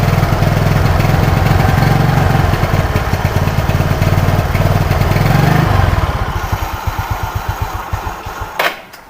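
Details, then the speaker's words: Yamaha Mio Sporty carbureted scooter after carburetor service, hot on a long ride; revs steadily then stumbles and pops at half throttle. "Nah sudah mulai dia nah ketika gas Tengah nih bukan full gas setengah tiba-tiba muncul brebet Oke sudah kelihatan sudah kedengeran"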